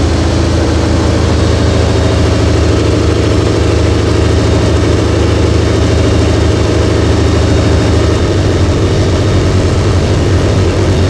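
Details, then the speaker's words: 2004 Mercury Marauder with freshly installed fully forged supercharged 03-04 SVT Cobra engine and brand new headers, warming toward thermostat opening: loud open-exhaust V8 idle, steady low rumble, even pulses, no ticking or misfire; healthy normal warm idle. "This motor does sound really, really good Whisper quiet."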